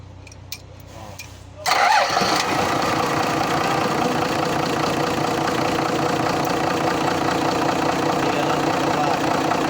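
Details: TCM grab lift forklift with 6-cylinder 6BB1 diesel that would not start in gear: the neutral switch was cleaned with sandpaper, and then a short crank fires it straight into a smooth, steady idle. Now starts and runs normally.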